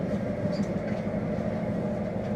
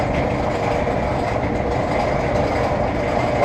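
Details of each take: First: Maytag Neptune dryer after replacing worn idler pulleys, whose bearing had been suspected of causing loud noise: a low, even drum rumble with no squeal, thump or scraping. It now runs quietly, like new. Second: Maytag Neptune dryer running with a loud, continuous rough rumble and rattle; owner suspects a failed bearing in one of the rear idler pulleys.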